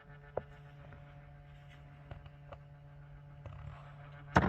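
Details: Citroën Picasso dual-zone HVAC air-distribution flap motor (foot, face, windscreen), found blocked, with the part removed. A quiet hum with sharp clicks every second or so and a louder clack; faulty flap actuator to be replaced.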